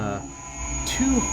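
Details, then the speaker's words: CNC end mill at 8000 rpm with overly aggressive engagement: a thin steady high-pitched squeal over a low machine hum. "I'm running this tool at a 8000 rpm 76,000 Maui you can hear it kind of squealing I'm doing the job engagement is really aggressive"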